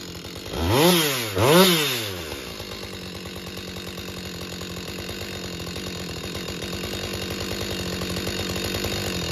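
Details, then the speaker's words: Husqvarna 562XP chainsaw, hard to start and won't idle, found with an air leak at a bent decompression valve and fuel filter changed: two throttle blips, then uneven lumpy idle that wavers, ready to stall. "okay so I got a 562. um got a bad problem with it want to shut off doesn't want to run right"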